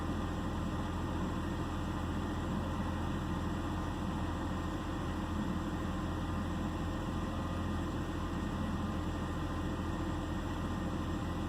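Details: 2009 BMW 328i xDrive coupe with misfire and idle complaint: steady idle hum with faint unevenness in the low beat, no clear miss; rough idle, cause suspected, not confirmed.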